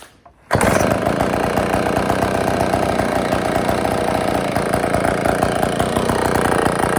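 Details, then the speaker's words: IEL Pioneer HM chainsaw after fuel-line and gasket work and tightening the carburetor screws, bar not yet fitted: it catches and settles into a steady, buzzy two-stroke run with no stumbling; running healthy again. "But anyway, we got she's running. I'm gonna go put the bar on. We're gonna fire it up here one more time."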